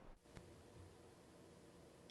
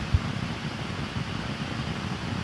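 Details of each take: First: Universal Audio Apollo X6 with Sennheiser MK 600 microphone, phantom power off: faint even hiss, occasional tiny tick, no buzzy digital edge, about 10 dB lower; normal noise floor (unit's phantom noise later traced to bad PGAs). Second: Sennheiser MK 600 microphone on an Apollo X6 with phantom power on and no signal: steady loud hiss with low rumble, noise floor far above battery power; later traced to bad PGAs needing IC replacement.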